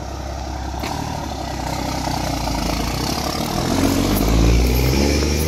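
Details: 12-valve Cummins dually, odometer reading 235, after OEM mechanical fuel pump replacement: loud, deep diesel rumble climbing steadily as truck pulls away, no knocks or misses; running healthy again.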